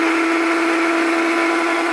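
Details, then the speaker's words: Tefal Optiblend 1000 W hand blender running in its bowl: loud, steady, high-pitched motor whine at constant speed with no grinding or rattle, louder because it is in the bowl; noisy but normal running. "Evet şekilde biraz gürültülü olduğunu söyleyebilirim o da haznenin içinde olduğu için daha ses çıkartıyor"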